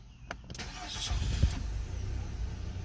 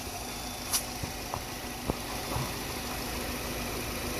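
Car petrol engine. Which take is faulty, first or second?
first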